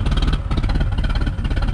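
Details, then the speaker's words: Mercruiser Alpha 1 Gen 1, 3.0 L 181 cid 140 hp boat engine after a tune-up (cap, rotor, points, condenser, plugs, wires): fires straight up and settles into a quick, fairly even chug with no misses or clatter, no leaks; normal start and idle. "Sounds good. Alright. It's got a good idle to it too. Nothing leaking."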